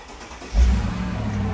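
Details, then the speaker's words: Mercedes G-Wagon V8 after engine cleanup of oil where it shouldn't be, new oil, new oil filter and fresh coolant: short crank, fires cleanly into a smooth steady idle; no oil leaks; normal start. "and it sounds [Music] fine and obviously there's no oil coming from anywhere in there"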